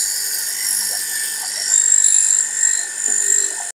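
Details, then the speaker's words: Household water pump motor after reassembly and tightening: high thin scraping whine wavering over motor hum as the impeller starts touching the pump head. "इसे देखिए, यह आवाज़। ऐसा होने लगा है हो गया। वह है, इम्पेलर स्पर्श करने के लिए शुरू कर दिया।"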